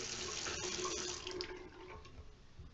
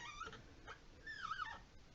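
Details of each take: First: Two-handle washerless Delta faucet, model 25770LF, about 10 months old; the hot side squeaked, and the O-ring was replaced and greased. After the repair there is a full, steady water hiss with no squeal and good flow rate: normal faucet flow. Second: About 10-month-old two-handle washerless Delta faucet model 25770LF, water shut off: two high whiny squeaks bending in pitch as the handle turns; fix by lubing or replacing the O-ring.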